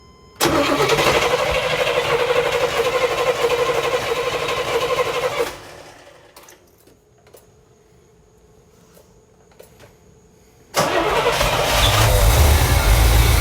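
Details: 1979 Corvette L82 with rough running, on a cold start; starter churns about four beats a second for five seconds, stops, then cranks again with a slightly uneven rhythm, cause undetermined, uneven cranking on cold start.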